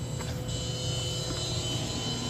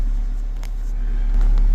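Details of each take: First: Sudden loud, steady jet-like roar with high whistle the instant final power connection is made to a double 16000-watt amplifier install on a Trunk Thunder lithium battery; wiring was checked repeatedly and the cause is unknown: loud whine at power-up. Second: Car audio system with two 16000-watt amplifiers on a Trunk Thunder lithium battery, powered from battery alone; deep, even subwoofer bass thumping during bump test, steady level, no rattles or breakup: normal subwoofer bass playback.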